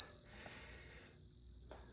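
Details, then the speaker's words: PowerJack 12000 W low-frequency pure sine inverter, handled 4.5 kW of hair dryers but adding another toward 6 kW: constant high-pitched steady beep as it shuts off immediately; overload alarm. "all right so couldn't handle the six kilowatts shut off right away so it handled 4.5 very well"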